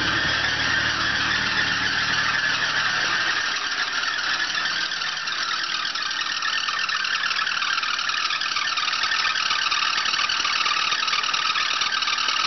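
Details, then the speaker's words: 1984 Oldsmobile Ciera convertible, feedback carburetor, with a damaged engine (burned crank and rod bearings), cold start after long storage with check engine light on: a high, steady squeal over the idle. A loose alternator belt is suspected; it was later tightened. "This has the old feedback carburetor system. Sounds like the belt's loose."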